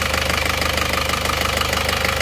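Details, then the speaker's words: Isuzu Panther Touring New diesel before repair: rough idle with uneven, limping tak-tak tap, one cylinder seemingly not firing, engine shaking, smoke from the oil dipstick tube; nozzle or injection pump suspected, worn piston rings later replaced. "Suaranya emang cenderung kasar ya nih, tak terus tidak rata ya. Ada satu silinder itu yang tidak bekerja kayaknya, jadi kurang maksimal."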